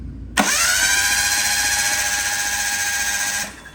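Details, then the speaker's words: Mitsubishi Mirage 1.8L DOHC turbo engine cranked without spark plugs during oil priming: strong, even starter whir for about three seconds with a smooth pulsing beat, no grinding; turbo spinning, no oil-return leaks. "Turbo spinning with no spark plugs. That is very promising."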